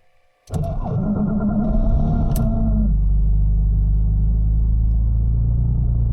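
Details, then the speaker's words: Porsche 911 (996/997 Turbo) with a suspected failing starter, recorded from outside the car; harsh whirring, rough crank for about two seconds before catching and settling to steady idle; abnormal starting noise, often needing two or three attempts, no error codes. "and now I'll take a video from the outside so hopefully you can uh hear how it sounds when the starter is failing"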